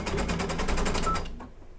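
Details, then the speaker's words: Embroidery machine stitching an applique bird body on a quilt block: fast, harsh clattering stitches about eight per second, rougher than normal, then stops; suspected upper thread misthreaded, possibly not seated in tension discs. "Didn't sound good. No. No. What did that sound like? That sounded like... Sounded like rethreaded. Sounded like maybe up on the top wasn't threaded right."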